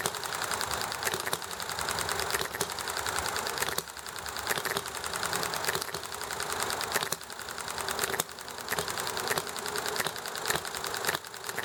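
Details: Enjomor hit-and-miss engine running nicely, with highway traffic and chatting in the background: sharp ticking firing strokes in irregular bunches with coasting gaps, clattery but steady; normal, healthy hit-and-miss running.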